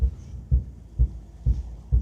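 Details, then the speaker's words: 1961 Buick LeSabre convertible, Nailhead engine, at low rolling speed: deep, even thumps roughly twice a second, a loud boom-boom from a worn driveshaft center support bearing. "I don't know if you guys can hear the thump, but I can hear the thump of the center support bearing. It's definitely not a good thump."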